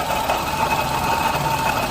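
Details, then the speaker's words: Suzuki Alto 800 at idle, stethoscope check of front accessories: steady thin whirring whine over the engine from the water pump. Worn water pump bearing; pump replaced with genuine Suzuki part. "Mukhang nasa water pump. Mukhang nasa water pump ang ingay."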